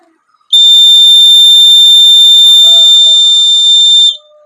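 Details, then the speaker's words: Homemade boxed LPG gas leakage detector circuit (sensor, LED, buzzer, switch) tested by releasing lighter gas at the sensor: loud steady high-pitched buzz for about 3.5 s, alarm triggering correctly, circuit works. "এইটো এনেকৈ আমি এতিয়া ইয়াৰ লাইটাৰৰ গেছ খুলি দিছোঁ, সেইটো বাজি গৈছে। গতিকে আমাৰ চাৰ্কিট কমপ্লিট অ'কে।"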